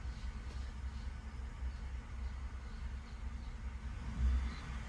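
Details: 2019 Ford F150 5.0 V8, 77k miles, stumbles or nearly stalls coming to a stop: low uneven idle sags and surges after throttle release in drive; IDS shows faulty bank-2 (driver's side) VCT oil control solenoids, intake and exhaust.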